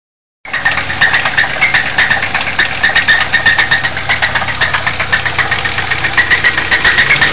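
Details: Lincoln LS idling with a sharp metallic knock about four times a second over the engine: rod knock from a spun bearing.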